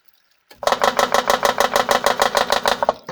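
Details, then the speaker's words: Vivohome portable washing machine after fitting a too-tight replacement belt for weak agitation: rhythmic chattering thump about three times a second, from the belt pulling on the impeller pulley. "Oh, let's see if it does it when we turn it by hand. I want to say it's from the impeller there."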